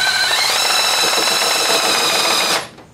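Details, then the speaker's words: Oil primer driven by a drill on a 200 straight-six: high steady motor whine that steps up in pitch then cuts off, drill spinning crooked and loose, suspected slipping on the primer shaft. "i don't like that sound is it turning that thing or is it slipping right it just seemed a little loose oh yeah this is that's slipping on that"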